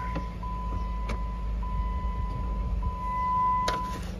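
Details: 2015 Jeep Wrangler Unlimited Sport, 3.6 L V6, 107,680 miles, just started: a low, even engine hum under a repeating cabin chime, with no miss, knock or tick; the engine idles smoothly.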